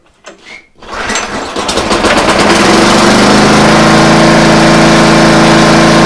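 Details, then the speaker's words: Free used gas pressure washer that runs only on choke: after a few rope pulls it catches and runs fast but not well. A carburettor problem is suspected. "let's try that see if it turns on that felt funny we definitely have a carb problem so unless it's on choke it's not going to run it's not running very well either"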